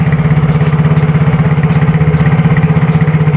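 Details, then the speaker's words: Yamaha Mio J scooter after cylinder block and piston replacement; it was previously noisy, smoky and seized: steady, even idle at about four beats per second, no knocks or rattles, clean like new. "bersih kayak motor baru ya padahal yang kita ganti di sini hanya bloknya saja teman-teman tapi persis kayak baru keluar dari dealer itu suaranya ya"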